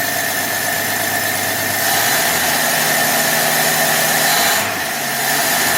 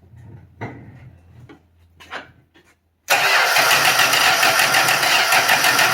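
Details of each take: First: 1966 Dodge Dart, 225 slant six, with a new cheap imported Autolite-style single-barrel carb and corrected fuel inlet line: holds steady at about half throttle, then drops to an even idle without hesitation; runs smoothly, no leak. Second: 1966 Dodge Dart 225 slant six, new cheap Autolite-style single-barrel carburettor gushed fuel: weak, broken cranking bursts, then it catches abruptly into a loud, rough fast idle, clearing the flood with choke closed; needle/seat or float suspected.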